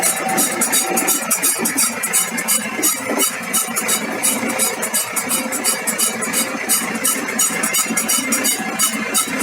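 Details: BMW E46 320d: rhythmic high-pitched creak about three per second from worn universal joint of the propshaft at the differential, found after many elimination steps; complete new propshaft chosen as the fix.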